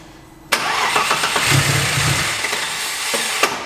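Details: Audi S4 bi-turbo after fresh oil and new filter, fuel pump heard only faintly: the starter churns at about four beats a second and the engine spins over but never fires; no-start, and it later runs once given some throttle.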